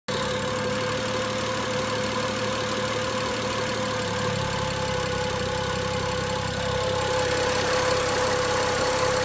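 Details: BMW 335i petrol engine at 43k miles idling with a light, fairly regular ticking about four ticks a second; owner unsure of cause.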